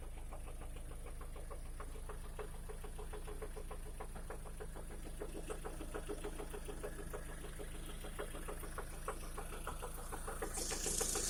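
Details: 2011 Lada Priora engine after piston kit replaced with gapless rings, at idle warmed to 60 °C and above: quick light ticking knock about three per second over steady idle; origin unclear, hydraulic lifter (compensator) mentioned.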